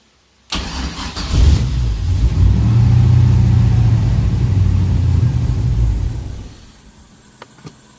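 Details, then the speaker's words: Nissan 240SX with 5.3 V8 swap, wiring harness unfinished, ECU behind dash: starter cranks briefly, engine catches and runs rough a few seconds, then dies; starts but won't stay running, cause unknown. "the car wants to start but it won't it just won't stay running"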